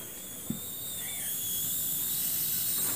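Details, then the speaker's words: Samsung television brought in with no sound but a picture, powered on during repair: a steady high hiss with a faint thin tone and no pulsing, suspected to come from around the flyback. "sepertinya ada semacam suara flaybek ya"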